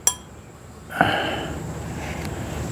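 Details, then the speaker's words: Briggs and Stratton 17.5 hp engine compression (cam) release lever flicked by hand: light metallic click, then slow, soft return, barely closing compared with a new lever; weak compression release spring. "So, the spring is very weak. All right, it just barely it's hardly It's right there. See that? It hardly closes the way should."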